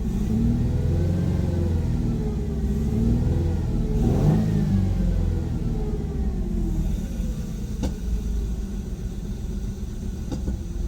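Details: 2001 Ford Mustang 3.8 Essex V6 with P0171 lean bank 1 code: wavering, uneven idle then blips; massive vacuum leak, air hissing at an improperly seated rear fuel injector.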